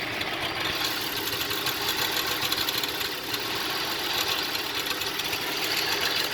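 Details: 2004 Cadillac SRX petrol engine with rough idle: busy, slightly uneven patter with a small dip in its beat.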